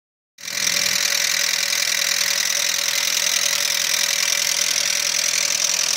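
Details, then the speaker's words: Audi 80 B3 engine knock at idle, sharp regular knock three to four per second; owner first suspected lifters, quieter when warm; teardown found scored bearings from weak oil pump and low oil pressure, requiring engine overhaul. "Как говорят, проблемы распространенные на этих движках. Либо масляный насос не отрабатывает свое, не создает давление."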